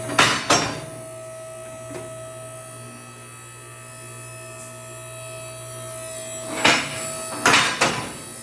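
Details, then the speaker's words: 4-post shop hoist raising a vehicle: low hydraulic pump hum with sharp metallic clacks at separate moments as all four safety locks climb over and drop onto their rungs: safety locks clicking normally. "okay and I've heard all four of them click"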